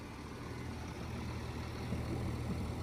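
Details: Truck (lorry) diesel at idle after replacing a leaking air valve: steady low rumble with no hiss of escaping air; air system sealed, leak fixed.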